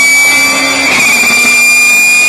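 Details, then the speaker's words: Race car while driving: loud, steady high-pitched whine over the engine noise from straight-cut (spur) gearbox gears, whose unangled teeth meet directly; normal for such gears, not an engine fault. "It's not the engine, it's the gears. Race cars use something called straight cut gears, also known as radial gears."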